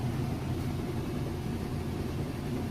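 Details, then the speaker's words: Whirlpool washer in like-new condition, normal cycle, final spin with a heavy load of jeans and towels: steady low rumble and hum, no knocking or thumping, spinning very fast and balanced; normal smooth spin cycle. "very fast. Sounds great. Nice smooth operation."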